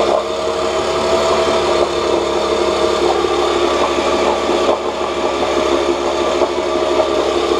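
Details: 1986 Johnson J4BRHCDE 4 hp Seahorse two-stroke outboard, stored for years, previously overheating, test-run in water after water-passage cleaning and pump check: steady buzzy note at constant speed, no knocks or misses; about 5 minutes in, a little hot; small known carburetor leak; running normally.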